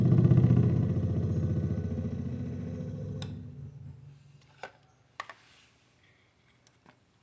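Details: Electrolux DC37 fridge (thermostat type, cold-plate) hums but doesn't cool; with relay and thermal overload connected, the compressor buzzes about three seconds then clicks off; coil winding tests fine, so the piston is seized or damaged.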